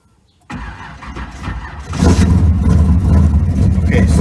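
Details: Car with a failed alternator, battery dead and left sitting overnight: labored crank of about a second and a half, then the engine catches and settles into a steady run; slow cranking from undercharged battery.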